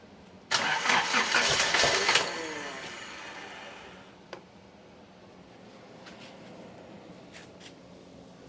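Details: Nissan 200SX on a Speeduino Ocelot standalone ECU, first startup attempt: about 1.5 seconds of rapid, even cranking that never catches. It was low on fuel before this, the MAP hose is connected, and cranking advance is set to 10°. Cranks but won't fire.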